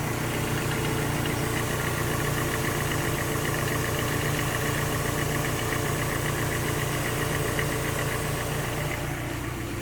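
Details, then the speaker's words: Car petrol engine idling after spraying GST belt dressing on a new fanbelt: steady airy hiss over the low rumble from the belt area, a hiss absent when the owner previously used Prestone dressing. "Saya nyalakan itu ada bunyi berdesis guys jadi kok ada berdesis dulu waktu saya pakai yang yang merek yang prestone yang kuning itu itu tidak ada berdesis"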